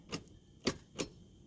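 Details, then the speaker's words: 2010 Mazda 3 2.4L that won't start: three sharp clicks with no cranking when the key is turned. Starter suspected; the starter was replaced, but the car still didn't start. "That sounds like his starter."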